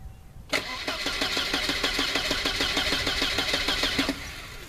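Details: Long crank before start on a 1988 Volvo 760 wagon after replacing the main fuel pump: about 3.5 seconds steady cranking at roughly three turns a second, as pump runs only once engine rotates.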